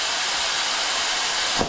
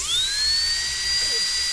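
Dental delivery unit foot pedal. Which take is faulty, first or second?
first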